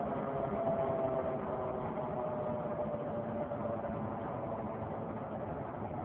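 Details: 2003 Saturn Vue 4-cylinder AWD, with the check engine and coolant lights on: a faint whirring tone over road noise from the front driver wheel area, following wheel speed while driving. A hub replacement did not fix it, and the cause is unknown.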